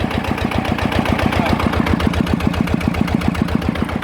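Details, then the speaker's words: Customer's Chao Phalang single-cylinder diesel after replacing several noisy timing gears (two idler gears and the cam gear were kept); steady, even idle thump of about four beats a second with no gear rattle, much quieter than before repair. "อ่ะนะครับถือว่าเงียบนะครับจะ้ได้นะครับจากเดิมที่มานะครับลังกว่านี้เยอะนะ"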